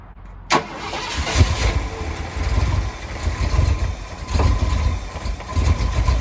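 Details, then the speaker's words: Ford F100 truck (1965/66 body on a 1974 highboy chassis, supposedly a crate 390) after a carb rebuild and timing bumped up: the starter whirs, then the V8 lopes with surging pulses; rough idle, and the owner suspects a carb rebuild error. "It just wasn't running right, and I thought maybe I did something wrong when I rebuilt the carb."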